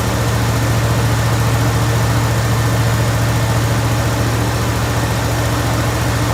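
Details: Jeep Grand Wagoneer V8 at idle after fitting a higher-output 94-amp alternator, air filter dirty and due for change; deep, even rumble pulsing about three times a second with no misses or ticks; healthy, steady idle, sounds like a boat.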